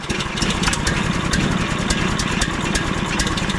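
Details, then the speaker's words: 15HP Harbor Freight Predator engine just swapped in for the 13HP Briggs & Stratton on a Frontier OS27 sawmill, first test run on pull start. It catches at once and settles into an even, crisp single-cylinder idle; healthy. "Just like a predator predator. Just like a predator engine start."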